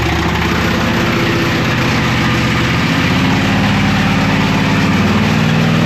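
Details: Camaro/Firebird LT1 V8 torture test, run without oil, earlier steaming from the valve cover bolt holes, restarted after cooling a few minutes: loud, rough idle with a dull knock under it; oil starvation knock, bearings failing.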